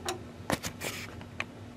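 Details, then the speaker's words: Linn LP12 turntable motor, belt removed, zoomed in at start-up: irregular soft ticks and spits, pulsing and not spinning consistently; stuttering start and slow speed traced to faulty Valhalla power supply board needing rebuild. "watch this thing when I start it you notice how it's spitter in and spudding kind of not starting out consistently if you know it's not even spinning consistently right now"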